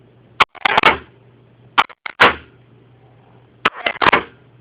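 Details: 1999 Sea-Doo GTX Limited 951cc Rotax, reportedly ran last summer: pressing start gives two beeps, then three short harsh grinding rasps, each beginning with a sharp clack, and the engine never cranks or turns over.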